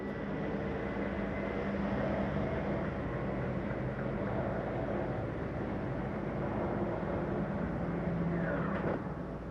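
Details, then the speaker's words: Bedroom slide (number one) extending on a 2023 Jayco Eagle 30.5 RSOK fifth wheel: steady low electric motor drone with constant gear hum for about nine seconds, no grinding or stalling. Normal extension. "let's start extending our slides number one's going to be our bedroom you'll be able to hear that extend"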